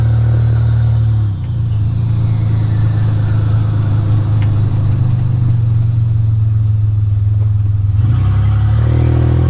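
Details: 1985 Nissan 300ZX Turbo (Z31) driving after new spark plugs and wires and replacing a torn intake/charge-pipe hose that caused a boost leak and misfiring under boost: loud exhaust drone holds steady, then pulls up in pitch without stumbling or cutting out; builds boost properly.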